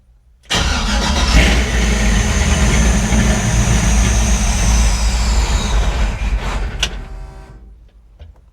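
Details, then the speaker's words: LS-swapped Chevrolet C10 on Aces Jackpot 2 fuel injection, first start: heavy, uneven V8 rumble, runs lumpy for seconds then dies, smoking heavily and running very rich; owner suspects excessive fuel pressure. "Smoking a lot. Come on, baby. Almost. It's very rich. Very very rich."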